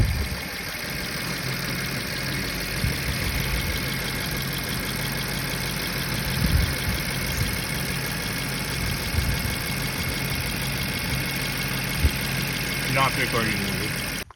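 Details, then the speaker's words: 2011 BMW 550i F10 N63 V8, six-speed manual, after high-pressure fuel pump replacement and vacuum leak fixes: steady, even idle hum with no stumble. It starts right up with no long crank, no check engine light, no limp mode and no misfire. "i'll show you starts right up no long crank anymore no check engine lane it's not limp mode"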